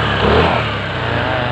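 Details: Honda Vario 160 scooter after fixing a jammed part on the left CVT side that caused a no-start with only a clicking starter: short single-cylinder buzz settling into a steady, even idle with no knocks; runs again, final-drive bearing still to check.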